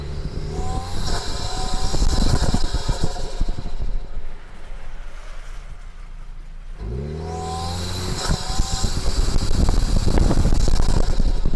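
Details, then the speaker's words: Toyota Tacoma Trailhunter while driving: the engine note climbs each time the throttle opens, with a faint airy turbo intake whistle piped through the snorkel; this is normal, though the reviewer finds it annoying over time. "so as you can tell every time I step on the gas it makes a sound"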